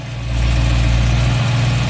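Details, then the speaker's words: BMW E90/E92 M3 V8 on 10W60 oil just after cold start, phone held near rod bearing area: steady smooth low rumble, no rhythmic bottom-end knock; rod bearings sound healthy. "It's very healthy. It doesn't have any."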